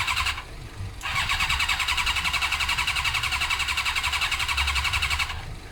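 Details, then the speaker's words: Suzuki GSXR 600 carbureted bike, brisk regular cranking near 220 pulses a minute that never catches despite extra fuel and carb spray: no spark. It was cured by an original ignition unit with the resistor. "I'm pretty dead set at this stage Tyson sparking because we're spraying stuff in the carbs straight into the engine and it's not doing anything so next thing to check on this bike would be spark"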